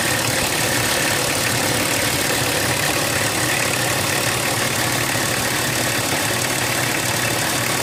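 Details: BMW 325tds E36 diesel, after replacing the Bosch R515 injection pump actuator seals: steady idle with a coarse clatter throughout; abnormal engine noise, cause unclear.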